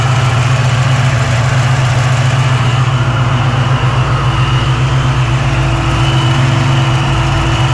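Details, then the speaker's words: 1987 Saleen Mustang Fox body with 347 V8 that had balance issues; smaller cam than the other motor, new balancer; oil pressure, temperature, vacuum and fuel pressure good, header tubes even. Deep, even idle hum, steady low pulse, no knocks or shake: normal idle. "Got oil pressure, got temp, vacuum, fuel pressure. Seems to be running good. Nice and smooth."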